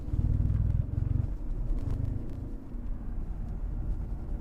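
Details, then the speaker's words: BMW drive shaft vibrating under hard acceleration in first and second gear: a deep pulsing drone from a worn center support bearing, most likely the rubber bushing, throwing the drive shaft out of balance. "Yep, so you can hear, especially first, second, even third gear, you can hear it because the drive shaft is getting out of balance."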